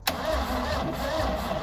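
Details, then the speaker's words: Engine cranking on its own battery (jump pack reading 12.7 V), before the jump pack is used: the starter groans over slowly at about two labored beats a second with no firing. The battery is badly worn out. "from here it's oh yeah it's pretty shot"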